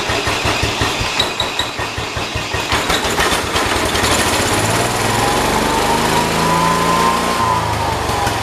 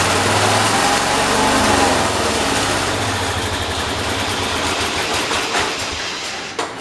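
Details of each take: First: John Deere 212 tractor after the problem was found: rough firing at start-up smooths into steady, even idle a touch fast; running fine. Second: John Deere 212 tractor engine after new carburetor gasket: races up high, then revs sag and fade until it dies; won't stay running off choke, surge and stall from loose carburetor mounting.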